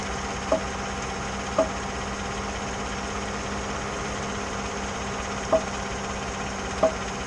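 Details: 2014 GMC, just after power steering motor replacement and dealer reprogramming: quiet idle hum with four sharp single pops as the wheel turns when stopped or at low speed under load, not when moving; cause unknown.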